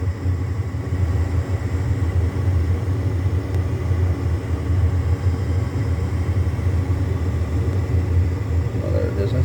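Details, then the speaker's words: Home gas furnace: even low blower rumble with no whoosh of ignition; the blower runs but the burners never light, no gas smell, then it shuts off. "i'm trying to see not much going on i don't smell any gas and it shuts off so it tried to do something and it turned off"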